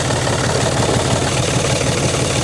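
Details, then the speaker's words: John Deere 5300 tractor just after jump start with new alternator fitted, battery now reading 13.17 V: even steady diesel idle, consistent low thrum, no misses or knocks; normal idle, alternator charging. "There we go. We'll let that alternator work."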